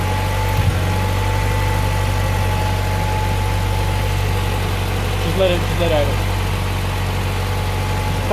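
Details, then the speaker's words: Honda Prelude H22 after replacing leaking brittle intake manifold gasket (vacuum leak) and cleaning the intake: steady even idle, smooth low hum, no hunting or surging; idle surge fixed. "clean that whole intake and all that good little leave quickly got a nice Idol now doesn't go"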